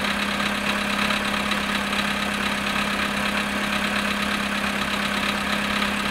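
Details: Volkswagen Polo sedan cold idle at -7.5 °C after sitting 14 hours, light regular tapping about twice per second over a steady hum; engine knock, cause unknown.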